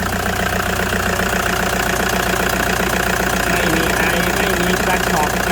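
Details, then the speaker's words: 2009 Toyota Commuter van, 2.5 D4D diesel, heard with the engine bay open: an even, steady clatter at warm idle with a smooth beat and no knocks or misses. The engine is described as quiet, dry and without vapour; healthy idle. "นี่ครับเครื่องเงียบๆนิ่งๆนะครับไม่มีเยอะนะครับแห้งๆนะครับ"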